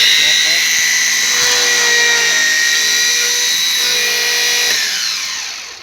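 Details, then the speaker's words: Alfa Romeo 147 starter motor that was making noise, bench tested after service with a wooden rod loading the Bendix drive; high whine dipping slightly in pitch under load, then winding down; checking for a slipping Bendix, result unsatisfactory. "okay we got our wood so now we're gonna put lot on the Bendix to see if the Bendix is bad or not"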